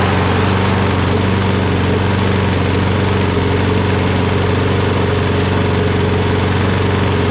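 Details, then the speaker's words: Poulan 22-inch self-propelled mower with a Kohler XT675 engine, after a quick carburetor bowl clean. It holds a steady, even idle with a smooth quick beat, no stumbling or surging, and now runs on its own. "woohoo as you guys can see it now runs great it runs great it runs on its own and all we did was a quick and dirty to get it going right"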